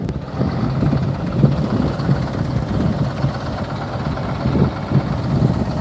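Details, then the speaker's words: Bus-museum bus, engine just started (cold weather), idles low and uneven with lumpy stumbling beats; rough cold running, cause not confirmed. "Hey, that thing started right up. Yeah, I've been working on this guy a little bit over the winter to keep him up. And as you can hear, he is not feeling this weather."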